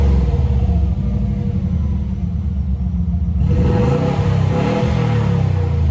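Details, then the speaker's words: Subaru B4 with the rotted muffler removed, open pipe: loud deep idle rumble swelling to a raspy roar on each blip with no silencing; owner says it doesn't sound bad straight-piped. "know that's actually pretty funny because that don't sound half too bad without the can on it at all so if for some reason this exhaust is just too quiet i might just take it back off and run it straight"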